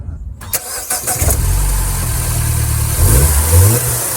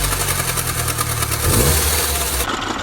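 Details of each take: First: 2nd-gen Mini Cooper at idle with the drive belt friction wheel disengaged and locked: cranks, catches and settles to a smooth even idle, steady low rumble, no knocks or squeals; normal baseline before diagnosing a belt missing chunks. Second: Second-generation Mini Cooper idling with a busy, rapid rattling clatter caused by a drive belt with chunks missing, which drives the water pump via a friction wheel; a belt replacement made it quiet.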